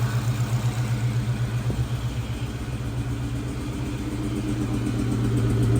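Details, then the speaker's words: Mustang Cobra supercharged V8, first start on a new 1000HP ported supercharger, before fully hot. Lumpy idle with uneven pulses near four per second, like a cylinder missing. Exhaust cam position actuator circuit code; owner suspects a Bank 2 issue, unconfirmed. "so that sounds like it's missing before this thing gets too hot ah still got exhaust cam position actuator circuit that's kind of weird it's running relatively okay but it looks like on Bank two we're having some sort of issue"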